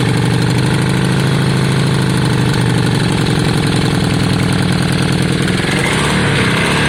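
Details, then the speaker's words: Yamaha Virago V-twin idling after a brand-new spark plug replaced the old one: deep, loud, loping twin idle holding steady while warming, no misfire or stumble; sounds better, normal idle. "we'll just see if it makes a difference guys brand new spot plug oh that sounds better john"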